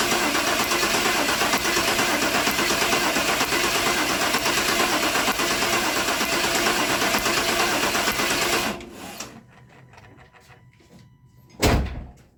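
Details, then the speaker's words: Truck with a distributor ignition, crank no start, spark confirmed at the plug: starter cranks steadily about nine seconds, then one short burst, never catches; timing suspected off from distributor installation, unconfirmed; crank no start. "I think the timing probably is just off. If they put the distributor in there and they got the timing off, that's probably what we're dealing with."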